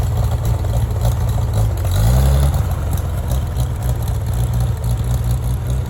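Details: Farmall tractor (1949 H or 1968 656) being sorted for fuel issues and cutting out, at a steady idle with one clean rev blip settling smoothly after carburetor adjustment; it had barely run over 30 seconds before. Owner plans a fluid flush and fuel tank work. Normal running.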